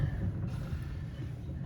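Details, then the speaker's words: 1991 Buick LeSabre Limited, driver-side rear wheel spun freely by hand: low, uneven groaning rumble where there should be no sound; bad rear hub bearing, about to be replaced. "That's a sign the bearing's bad."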